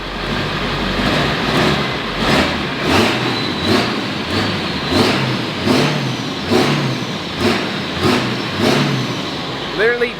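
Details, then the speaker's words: 23-year-old diesel truck after a FASS fuel system and new fuel pump, fitted to address a low-power issue while driving: repeated throttle blips, crisp and responsive with no knock or miss, sounding spunkier. Normal revving. "i mean it definitely sounds more like spunky so i think the bank's tuner is still hooked up"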